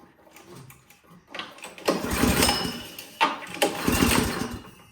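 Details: Toro PowerMax 7240E snowblower, sat 4–5 years after one use, primed, full choke: two bursts of rapid cranking around four turns a second that never catch; cranks but won't fire. Old gas clogging carburetor suspected; fuel valve possibly closed.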